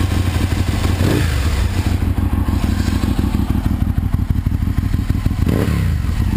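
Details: 2001 Aprilia RSV Mille R race bike, Rotax V-twin, 3200 km, new Power Commander and battery, loud heat-wrapped exhaust; loud, lumpy beat at about three pulses a second with crisp throttle blips and no misses, healthy.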